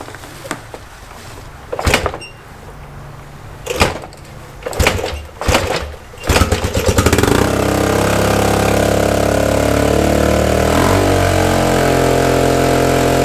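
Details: Suzuki DR-Z125 dirt bike after rebuild of a blown engine: a few sharp cranking pops, then it catches and sits at a fast, raised idle with a raspy edge; idle super high and an exhaust leak.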